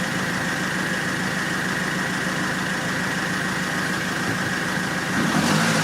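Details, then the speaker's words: 2006 Mercedes C200 CDI diesel after fuel filter change and air purging: even, steady diesel clatter at idle with no misses or stumbles; starts and runs clean, no leaks, normal idle. "Donc là de ce côté là c'est bon, ça démarre, il n'y a plus de problème."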